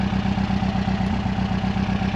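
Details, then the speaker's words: Warm engine idling with an uneven lumpy beat, owner says running on three cylinders at idle, suspects bad jerry-can fuel and a blocked idle jet on number one; misfire at idle, unconfirmed. "I'm running on three cylinders at idle so I probably haven't blocked idle yet there's some some of that shitty fuel I put in from the Jerry's"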